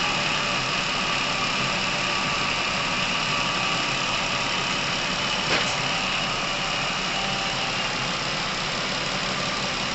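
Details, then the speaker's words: Chevrolet Epica, over 200,000 km, warm, after adding Dimexide flush to the oil: steady even quiet idle with no distinct knock; engine running quieter as oil circulation restored. "масло начало циркулировать должным образом двигатель начал работать тише"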